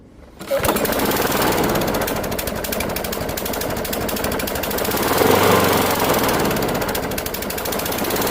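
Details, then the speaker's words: Discarded Craftsman Gold mower, Briggs Quantum 6.75 engine, front self-propel, first run: uneven skipping beat with pulses dropping out irregularly; plug found really rusty, misfire. "Feels like it's skipping. I don't know why. Looking at the front of it, the plug is really rusty."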